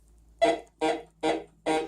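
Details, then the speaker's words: Bounty Hunter Tracker IV metal detector in tone mode, air test: four short bursts blending a low iron growl with a brighter non-ferrous note, a broken high-low tone; mixed iron and non-ferrous response. "But as you can hear, you get that low iron tone coupled with your higher non-ferrous tone. Very important that you learn the distinction between those two items."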